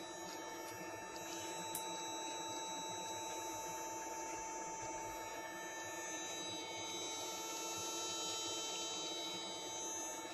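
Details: Rewired ASR throttle body actuator from a Mercedes S-class (S420 or S500), part 0001418925, powered on bench: quiet, steady electric hum with clean even pitch, no buzzing or grinding; actuator healthy, plate actuates well.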